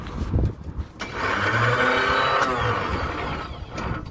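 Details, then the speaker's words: 1968 Bedford CA ice cream van on its old battery plus a jump pack: a clunk, then a high whirr, but the engine doesn't turn. The starter is suspected stuck, and the plan is to hit it with a hammer. "we have a starter motor so plan is get a big hammer and whack it one to uh see if we can get it to turn"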